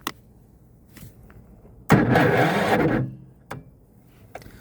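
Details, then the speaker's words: BE 7500 W inverter generator with electric start on a food truck, about zero degrees outside, battery charged 3 hours and run 5 hours: one short, sluggish crank of about a second that never catches; weak battery, slow crank in the cold. "And this is after being charged for uh 3 hours and then ran for 5 hours."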